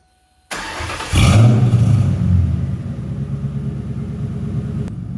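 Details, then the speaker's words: 2002 Ford Mustang GT V8, LAR X-pipe installed, cats deleted, SLP Loudmouth mufflers, tailpipes unfinished, low idle rpm noted: starter catches quickly, deep burbling rev settling to smooth even idle, quiet mellow exhaust; normal start and rev. "But, I think it sounds good. It's quiet. Got the cat deleted on there."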